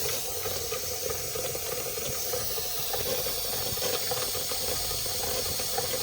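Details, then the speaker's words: Märklin 16051 twin-cylinder model steam engine, still running in, on original burner: steady hissing rush of steam with faint flutter as the safety valve begins to lift under rising pressure, releasing before the red; safety valve lifting normally. "You can hear the safety valve going. You'll see that safety valve is beginning to lift."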